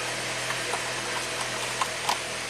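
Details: 2004 Saab 9-3, 175,000 miles, steering lock malfunction bypassed by grounding a coil wire: even, steady idle hum with a few light handling clicks, engine smooth and settled.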